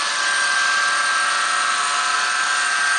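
A constant high whine holds steady over the engine hum with no change in pitch; there's a whine under the hood, cause unknown.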